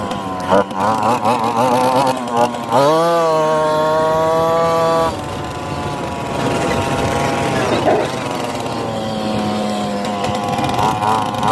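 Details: Honda FL250 Odyssey barn find, first start after about 10 years of storage, on a 100° day with starter fluid and a leaking fuel pump: it revs in uneven surges, then settles into a ragged, hunting idle; rough running.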